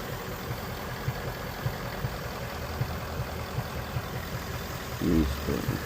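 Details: Ford Mustang GT 5.0 Coyote V8 idling, codes P0302/P0316, cylinder 2 misfire; cause unfound; low, lumpy idle with a soft stumble about twice a second that doesn't settle.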